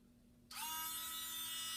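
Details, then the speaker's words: Z8000M 8-in-1 mini metal lathe motor bench-tested on its power supply, held by hand before assembly to the headstock: spins up instantly to a steady, even high-pitched whir with no roughness or wobble; a good, working motor. "like a good running motor than me all right got that tested to make sure"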